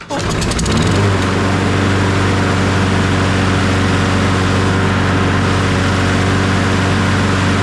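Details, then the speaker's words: Toro 22-inch Recycler 20332 mower, Briggs & Stratton Quantum auto-choke, previously barely running rough: after cleaning the dirty carburetor and adding fresh fuel it catches and settles into a steady, even drone with no surging or missing. "now she runs like a top brand new"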